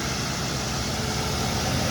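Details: 2008 Ford Crown Victoria Police Interceptor at idle after replacing the old, worn serpentine belt and tensioner. A steady, smooth low hum with no squeal or chirp from the belt drive.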